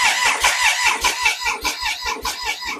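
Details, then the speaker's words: Triumph Sprint 955i non-runner neglected for years, fuel pump not heard priming, no fuel: steady starter cranking about two and a half beats per second, never catches; cranks but won't start, fuel pump to be tested. "But I can't hear the fuel pump prime. That also says there's no fuel in it. But the fuel pump's not priming. We ain't going to get fuel."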